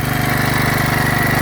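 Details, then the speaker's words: Rebuilt Kohler K91 single-cylinder engine at fast idle: puffing chuff each stroke with faint tick; head gasket leaking, squirting stuff out, must be replaced. "There's a little bit of a tick going on over here, and you can hear it's still farting. But overall, we are going to have to put a new head gasket in it without a doubt. It's squirting stuff out."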